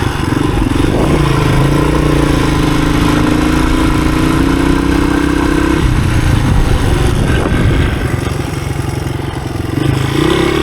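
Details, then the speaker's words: 1983 Honda XR200R single-cylinder on first test ride after years sitting, pulling uphill in third gear: note climbs smoothly with revs, no misses or knocks; healthy engine needing only a little tweaking for trail use. "Just fine. A little tweaking on this thing, and you're ready for the woods."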